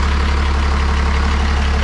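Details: 12-valve Cummins diesel swapped into a 1962 Chevy C20 on a Dodge frame, first start, oil pressure light out, charging at 13.7 V: deep steady rumble, even low beat, no knocks, misses or rattles. Normal idle.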